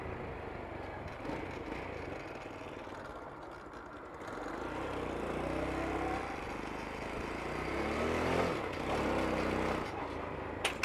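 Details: 2023 Vitacci Vader 125, 4-stroke air-cooled 125cc single, 4-speed manual, prepped bike: a light thump settles into an even idle, then pitch climbs smoothly on a couple of blips over street background; sounds healthy, normal idle and revving.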